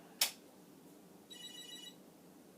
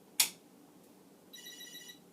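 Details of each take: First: Commodore SuperPET SP9000, powered for the first time since the 1980s, sawdust-dusted, mode-select switches not fitted: short high warbling chirp at switch-on, a good sign, but the monitor stays dark. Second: Commodore SuperPET SP9000 8-bit computer powered on for the first time since the 1980s: a quick click, then a short, high electronic chirp at switch-on. This is the normal power-on chirp, showing the machine is getting power.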